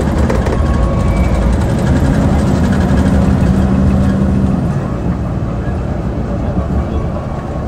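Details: 2009 Mercedes-Benz CapaCity articulated bus, OM 457 hLA Euro 5 diesel (354 hp), ZF Ecomat 6 HP 602 C six-speed automatic, in service: a heavy diesel drone under load with a steady low gear whine fading on shifts; unusually noisy gearbox.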